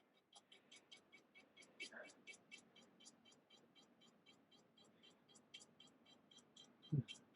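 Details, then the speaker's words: Flasher relay buzzing in fast even clicks, about four a second, when the left turn signal is switched on, drawing about 4 amps: a dead short to ground in the turn signal circuit. "I'm gonna put on my left turn signal and you can hear the relay buzzing and you can see this is going up to about 4 amps and you can see so that's pretty well a dead short"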